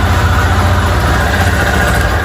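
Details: 2022 Lander motorcycle after repair of a terrible engine noise: low, steady single-cylinder thump at idle, even and smooth with no knocking or rattle; engine sounds healthy.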